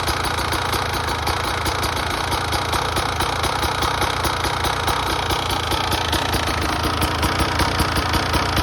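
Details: 2017 Beta 300RR two-stroke at idle with fast, even, sharp metallic ticking; piston slap suspected but unconfirmed; ticking noise at idle.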